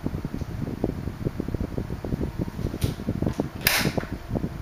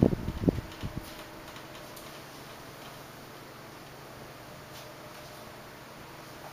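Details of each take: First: 1976 Electrohome 30 cm desk fan, four blue plastic blades, on low speed: soft hum with light ticking and a few cracking sounds when oscillating; quiet, running normally. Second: 1976 Electrohome 30 cm desk fan with four clear plastic blades, on low speed while oscillating: a few sharp cracks at the start over a soft, quiet fan hum; the cracking comes with the oscillation.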